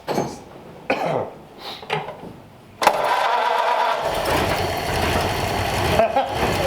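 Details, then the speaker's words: 1934 Ford Coupe replacement engine, before the radiator was fitted: it catches after about half a crank with no choke and settles into a steady, even idle with no misses or knocks; a normal start and idle. "Holy crap. Wow, that started out very easy. That was like half a crank and it just sputtered on its No own. choke, no nothing."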